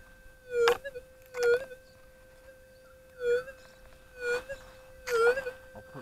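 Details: Whites SPP metal detector, gain on factory preset, ground balanced: a steady mid-pitched threshold hum with irregular warbling dips and bursts about once a second, an unwanted hiccup that re-balancing cannot remove.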